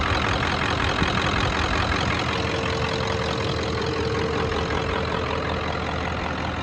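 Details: 1994.5 Ford Power Stroke diesel ranch truck, 384,489 miles, standard transmission, just back running after shop work; even diesel clatter at steady idle with no misses or hunting; smooth, healthy normal idle.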